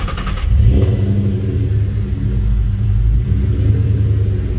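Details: Coyote-swapped engine that lost power above 2500 rpm, just after replacing the bank one O2 sensor: deep, even V8 rumble with steady low pulses, no misfire or stumble.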